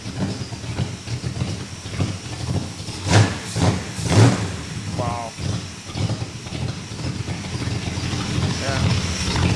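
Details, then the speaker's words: Classic car with a 318 V8, freshly installed after running on a dyno, brief 15-20 second start with no coolant yet: V8 burbles at idle, two sharp throttle blips rise and fall cleanly, back to steady idle. Normal running. "it sounds mean that's pretty damn good eh yeah [Music] yeah look at that exhaust you got a wicked salmon it up"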